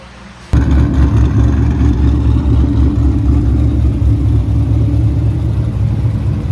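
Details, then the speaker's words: Cadillac CTS-V drift car (blower), after the exhaust was resealed with new clamps so it exits at the back, heard up front: a deep, steady V8 idle burble, no ticking, hissing or rattles. Normal idle. "So quiet up front here now. It's great. All the noise coming out of the back."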